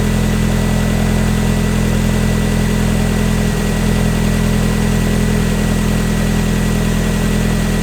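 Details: Mazda Miata idling after a new DW100 fuel pump was installed, replacing a failed pump that made the car cut out while driving; first start after priming. Strong, steady, even low thrum with no stumbling or hunting; running fine.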